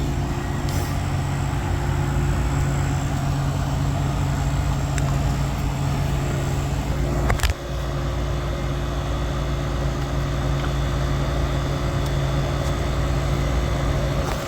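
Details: Refrigeration condensing unit after a solenoid valve replacement, refrigerant added and a clear sight glass: steady low hum with a constant tone and no knocking or rattling. Normal running.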